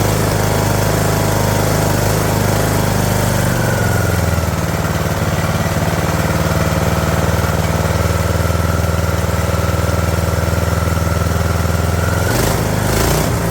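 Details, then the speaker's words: Craftsman LT2000 mower with an engine feared to be junk, first start on choke with starting fluid; small single-cylinder settles into a steady, even low chug with a pitch shift midway, running smooth, no knocking. "uh ladies and gentlemen it runs let me open the door that's cool cool super cool um it sounds good holy smokes"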